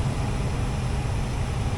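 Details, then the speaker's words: Furnace blower after replacing the blower wheel (motor kept, seemed smooth): steady even rush of air with low hum, no rattle or scraping, smooth to the touch. Normal blower operation after repair. "Here we go, blower. No noise. Smooth to the touch."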